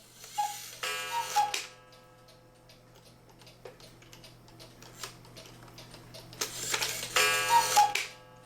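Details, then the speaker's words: Cuckoo clock after repositioning the gong under its screw: clean two-note cuckoo calls, bellows puffs and steady ticking, no buzzing or snapping from the gong; striking normally. "sounds much better that's odd that that gong would have been making that weird sound"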